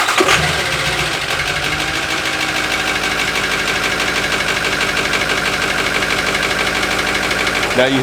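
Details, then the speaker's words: 2005 Ford F250 with 6.0 Powerstroke diesel (Blackwater replacement engine), super cold start after long sitting: clatter with fast, uneven ticking about three per second over idle. Source not yet found; going to a shop for rebuild. "all that about ticking let's get closer to really hear it down here"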